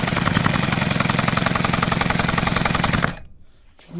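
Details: Leftover chainsaw two-stroke engine without its bar and chain, primed after its carburetor had likely dried out: rapid even buzz for about three seconds, then cuts out; running cleanly after starting.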